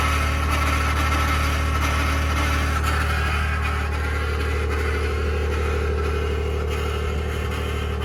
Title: 2021 Ford F150 Powerboost Cold start Cavitating/Grinding Noise - November 6, 2022